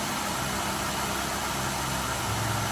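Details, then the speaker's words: 2008 Ford Escape 3.0 L V6 that was burning oil, right after PCV valve replacement: steady, even idle with no ticking, misfire or hunting; sounds better than with the old factory valve. Normal idle. "yes it sounds better from when the other on"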